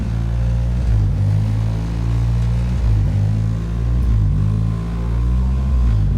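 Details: 1990 Toyota Celica GTS, warm engine, after reassembly with stock airbox reinstalled and IAC checked: steady even drone sitting well above normal warm idle, never settling lower. High idle not fixed; owner suspects a big vacuum leak, unconfirmed.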